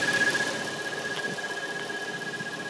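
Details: 2013 Dodge Challenger SXT running: steady high-pitched whistle at one pitch, found by dealership to be a loose water pump seal; noise gone after pump replacement.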